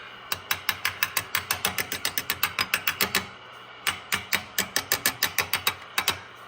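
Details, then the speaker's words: Swan 700 radio, receive section, no antenna, chassis tapped with a screwdriver handle: even microphonic ticks in bursts traced to the audio output tube area; audio tube suspected, replacement planned. "not bad but well that sure seems microphone Sonic I think there it goes so the guilty part is in here somewhere"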